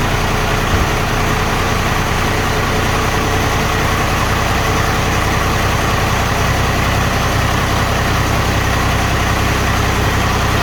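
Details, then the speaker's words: 2nd-gen Cummins 12-valve diesel with blow-by, after installing vented valve covers and catch cans, heard close at the valve cover: steady heavy idle with light quick valve-train tapping, a normal tick. "actually uh pretty neat when you put your ear to these things you can hear the valve train freaking tippy-tapping"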